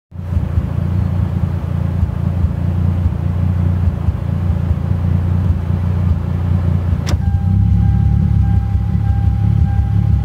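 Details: Toyota JZX100 with 1JZ inline-six, warm, off throttle: uneven, lumpy rough idle with occasional pops; only does this when warm, cause not yet clear.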